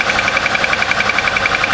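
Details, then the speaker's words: Car in about 35°F cold start, oil four quarts Castrol Edge Titanium plus one quart Lucas synthetic additive: sharp even ticking about thirteen times a second over cold idle; owner fears lifter, possibly piston slap, not confirmed. "hope it's not a freaking lifter or something that would really suck"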